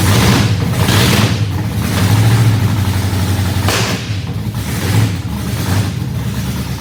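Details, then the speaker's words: 1967 Chevrolet Camaro V8 with open headers at start-up while warming. Rough idle with sharp popping backfires every couple of seconds, caused by ignition timing being off. "okay we got a back fire going on so that means the timing's off"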